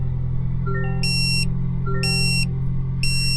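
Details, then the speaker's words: 2025 Toyota Tacoma SR with OEM dashcam, engine idling: sharp high beeps repeat about once a second, warning that the micro SD card is missing or full; holding the on/off button silences it before fitting a new card. "Now, in order to shut off that beeping, since you don't have an SD card, you're going to hold down the on and off button."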